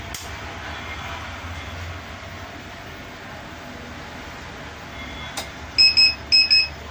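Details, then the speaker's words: Luminous Hercules 1600 12V inverter beeping continuously on battery, mains and charging, even after its card was replaced; shrill paired beeps repeat over a quiet hum; the fault alarm kept sounding until a loose rear connector was unplugged. "यह continue view sound करता है तो चलिए देखते हैं इसका problem क्या है उसका सॉल्यूशन क्या होगा"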